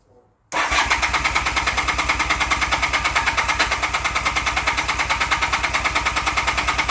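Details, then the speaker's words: 1984 Honda CB450SC twin, carb sync with homemade gauges after carb cleaning and new parts; left carb pulls far more vacuum than right; fast pulsing about three beats a second with a lopsided rhythm. Unsynchronized carburetors. "so you can see it drew down the left cylinder quite a bit it actually went down further than last time cuz it ran for a bit"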